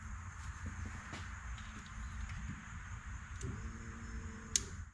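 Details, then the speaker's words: Jeep YJ sat about six years: 12 volts applied with a power probe to the fuel pump circuit at the fuse panel; quiet, then a faint steady hum as the electric fuel pump runs; the ECU was not grounding the relay trigger. "Now if I put 12 volts on the circuit, I can hear the fuel pump kick on."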